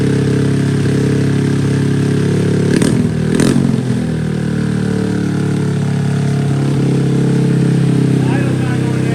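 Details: Honda Grom SF after swapping in an original Grom engine, cold start: a small single holding a steady, fast idle that doesn't drop with the throttle closed. High idle; the cause is unconfirmed, possibly a cold-start issue.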